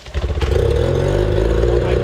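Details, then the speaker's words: 25HP Mercury outboard that sat 4 years, after carburetor cleaning, with fresh gas pumped in and primed: starts on one easy pull with a short ragged catch, then settles within half a second into an even, buzzing idle. "I barely have to pull it. That's crazy! I barely have to pull the thing. I didn't even pull it hard."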